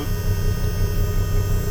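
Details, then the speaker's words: Mercury power steering pump on a 270 Boston Whaler, running again after fixing a power steering fault: steady constant-tone hum, no grinding or surging; healthy. "all right let's try it again look at that now she's running can hear it that humming"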